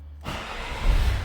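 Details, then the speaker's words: 2004 Citroën C5 2.0 HDi, starter check after battery found dead: brief quiet, then firm even churn as the engine turns over and catches; starter sounds correct and healthy, no fault. "Donc là, on a un démarreur qui fonctionne bien mieux, avec le bon bruit, etc. Tout va bien. Donc le démarreur est le bon."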